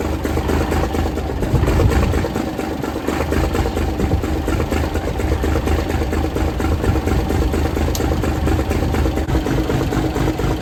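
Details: 1978 International Transtar II cabover diesel, first start after sitting 3 years; deep slightly uneven rumble settling into steady idle, keeps running; normal start and idle.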